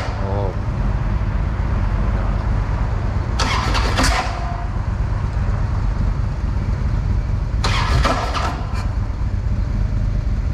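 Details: 2007 Harley-Davidson Ultra Classic, 96 cubic inch with Screaming Eagle 255 stage 2 cam, starting hot: over a low idle rumble two harsh rattling bursts at start-up, identified as a worn compensator; owner had first suspected needing compression releases.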